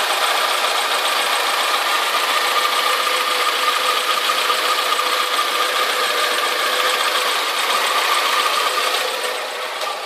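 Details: Alfa Romeo 156 2.0 Twin Spark at idle after replacing the exhaust manifold and metal gasket and refitting the manifold bracket: a fast light ticking of about two a second over a hissy idle remains, reduced but persistent; source unconfirmed.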